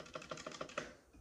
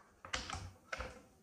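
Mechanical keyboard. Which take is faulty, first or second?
second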